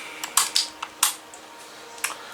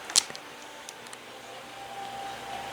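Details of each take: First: Holmes HACP9 6-inch oscillating clip fan on low with oscillation on: sharp irregular pops and clicks over a faint fan hum, and it won't work on high. Likely a dry oscillation mechanism; the owner plans to oil it. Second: Holmes HACP9 6-inch clip desk fan, made October 2001, possibly shaded-pole motor, unclipped and started on low, oscillation off: soft hum builds over two seconds then settles into an even, quiet whir; normal startup.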